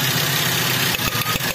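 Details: Toyota Avanza/Daihatsu Xenia that hunts, shakes and lacks power: uneven idle with irregular dips and stumbles. Rough idle misfire; ignition (plugs, coils, wiring) or compression (valves, rings, head gasket) are the suspects.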